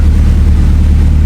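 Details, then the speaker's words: Evo 8 turbo engine after a fueling fix for power loss, full-load pull: loud, deep, steady drone with no misses, stumbles or knocking, clean smooth pull; knock clean, AFR on target, smooth power band; normal. "Um, car runs good now. It's nice and smooth. Power band was nice and good."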